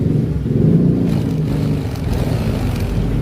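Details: Yamaha NMAX 155 scooter idling with a steady, low, even rumble and no ticking or rattle, after fixing a rough-noise complaint traced to the cam chain tensioner; oil change alone had not cured it.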